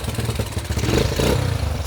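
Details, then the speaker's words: Yamaha YFM80 Badger/Moto 4 ATV, nearly 40 years old, first start after full rebuild on choke: small single catches, pops and revs cleanly when blipped, then keeps running; normal running after rebuild. "sounds pretty good huh"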